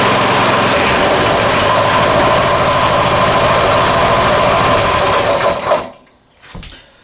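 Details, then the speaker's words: Coleman 196cc mini bike, previously locked up, idling after repair while the owner checks for a possible rod knock. A busy, fast single-cylinder patter holds steady with no knock before it cuts out; it idles healthily. "We'll let it idle first because I don't want to blow anything up in case it does have a rod knock, and we'll find out. It sounds okay to me."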